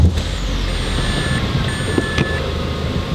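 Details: Mazda 3 petrol engine after coil pack replacement, idling with a steady, even low rumble and no stumble or misfire.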